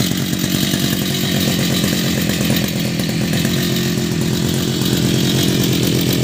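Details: Two-stroke brush cutter with a history of hard starting from stale gasoline causing flooding; steady, even buzz with a fast, crisp firing beat and no stumbles or surging; normal running.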